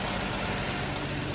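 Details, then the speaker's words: 2008 Chrysler Sebring 2.7 L at idle, constant cylinder 1 misfire after owner installed his own new spark plugs, transducer suggests cylinder 1 exhaust valve issue; uneven idle with recurring stumble, constant misfire. "2008 Sebring, 2.7 liter. This man always put his own plug plug in. Got a constant misfire. It was showing cylinder one, cylinder 112."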